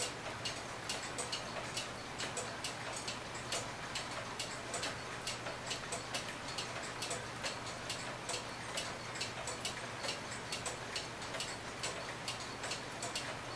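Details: Herbert Herr 8-day cuckoo clock after blowing out and oiling the movement: crisp even tick-tock with steady beat, no squeak or drag; normal clock tick.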